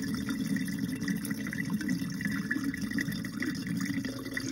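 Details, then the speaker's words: Whirlpool dishwasher WDF320PADS2 after removing drain pump to check obstructions and checking float switch, test run: steady low pump hum under gurgling water as tub empties; drain pump working, nearly all water drained. "looks like you got all the water out now there's just barely any water at all in there"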